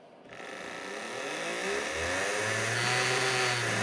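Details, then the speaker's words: 1995 Hornby A4 60028 Walter K Whigham, tender-driven ringfield motor, 24 years old, power applied: small motor whine rises and holds steady hum with no load, locomotive not moving; drive cog fell off, motor spinning freely. "you hear the motor spinning but it's not moving and it's spinning not moving"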